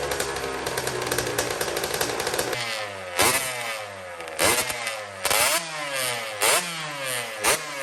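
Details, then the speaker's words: Custom Honda TRX90 with rebuilt CR85 two-stroke engine, first heat cycle after rebuild: crisp idle with sharp, clean blips that rev freely and settle evenly; sounds good, though the carburetor clamp is loose and needs replacing. "She sounds good."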